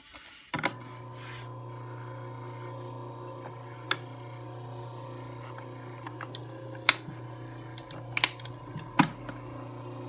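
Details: Brand-new Camel CDF 1616C fan running: the motor hums steadily while sharp, irregular clicks and rattles break through every few seconds.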